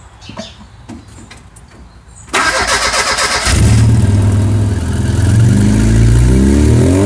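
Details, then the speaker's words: Car with SU HS4 carburettor after needle and spring upgrade and dashpot oil top-up, not started for a while, heard from the rear: a few ticks, short crank, catches at once into a steady even idle with a slight rev; normal start. "And just like that, she starts."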